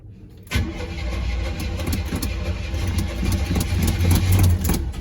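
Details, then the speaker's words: Squarebody Chevy/GMC C10 truck V8 after two weeks of ignition troubleshooting, temporary wire near exhaust manifold, starter fluid used: brief crank catches quickly into a firm, even rumble that settles and builds steadily. Normal engine start. "good news truck starts to crank and I'll crank it for a little bit um see if it starts"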